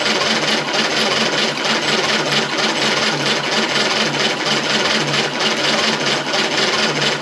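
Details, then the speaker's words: 1935 Austin 7, cranking with 12V boost at wide-open throttle: steady rapid starter whirr with light even chuffs about once per second, no firing; gasoline dripping from carb and exhaust manifold, little back pressure, weak compression suspected, not confirmed. "well it's dripping gasoline so it's definitely getting gasoline into that carb and I could hear it"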